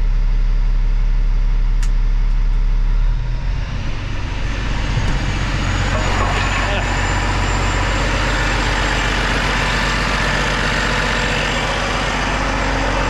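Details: Kenworth W900 ISX diesel started after a head job, check engine light expected to clear: settles into a steady, even idle with a faint high whistle and no misses or knocks; it sounds healthy.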